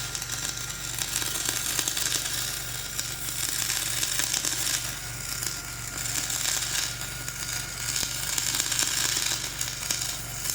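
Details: Dual-shield flux-core welding on a preheated outrigger pad, voltage up half a volt, Trailblazer one notch up on rpm: continuous harsh crackling sizzle with irregular surges; an unsettled arc giving a poor bead over a high, ropey stick weld.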